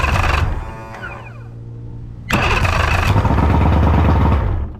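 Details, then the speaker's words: Cheap used boat engine after new starter parts: starter whirs briefly and winds down, then rough uneven cranking pulses; starter drive drops back before the engine fires, so the fix failed. "If this little guy goes back down before the engine starts, we still have not fixed the issue."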